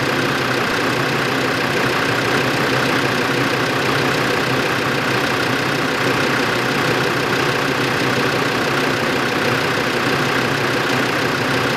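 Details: 2005 Land Rover Defender 2.5 turbodiesel, manual, 4WD, 92,000 km, on lift in fourth gear, front right hub: steady drivetrain drone with light uneven clicking around a hundred per minute; hub turns normally, cause unknown.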